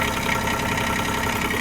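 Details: Bobcat micro digger diesel running after a flat battery was jump-started, alternator now charging: steady, even diesel clatter at idle with no stumbles or knocks; normal idle.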